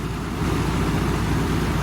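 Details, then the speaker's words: Toyota Supra after auxiliary belt change, air conditioning on: steady, smooth idle with low rumble and viscous fan roar, no chirp or squeal from belt or aircon; previous belt squeal fixed. "So that does seem pretty good. Smooth as silk as ever in this engine. Obviously a lot of the roar you can hear is from the viscous fan that this has."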